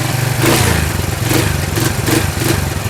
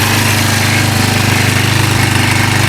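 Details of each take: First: 1999 Kawasaki Prairie 300 single-cylinder ATV, cold, after carburetor cleaning, fogging oil smoke: uneven revving that stumbles at quarter throttle then clears; owner suspects uncleaned mixture screw port, not confirmed. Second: 1999 Kawasaki Prairie 300 ATV, sat 10+ years with bad gas, idling fast with a steady single-cylinder putter and no misses after a cleaned carburetor; cold, smoking slightly, likely from fogging oil.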